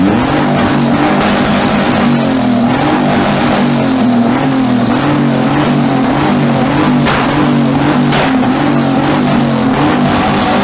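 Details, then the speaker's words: Twin-turbo Mitsubishi Triton, 3.0L 6G72 V6: loud, hard-pulling engine held high with a wavering note bouncing on the limiter; first time hitting rev limit (about 6500 rpm) on the new ECU, no hesitation. "That hit rev limit. That is the first time this has hit rev limit up with the new ECU."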